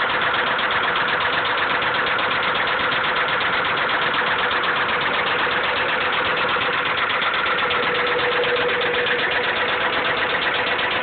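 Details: Honda B16 engine at idle: dull, regular rod knock, roughly two or three per second, deep in the block under the engine hum.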